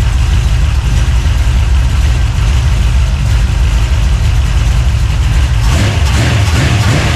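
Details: 383 stroker small-block V8, freshly built and swapped into a 1970 Monte Carlo, at first fire-up in the car: deep, uneven, choppy idle with a loping big-cam rhythm, steady, nothing knocking; normal lopey cam idle.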